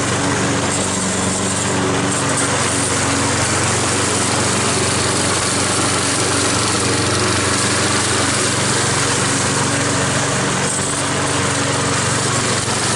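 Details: Troy-Bilt mower after head gasket repair using parts from another engine, cutting grass under load: steady even drone, no hunting or surging; running right.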